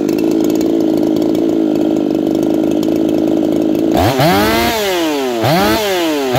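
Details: Saw Fest 4910 50cc race chainsaw after leaning the carb from rich, out-of-box chain: steady fast idle then sharp throttle blips climbing high and dropping back cleanly; strong, well-tuned revs before tach check in oak.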